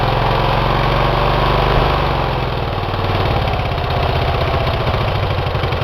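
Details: Twin run with one cylinder head removed, after a damage check following oil in that cylinder: uneven, lopsided low-idle putter with every other beat missing, firing on one cylinder only. No damage found.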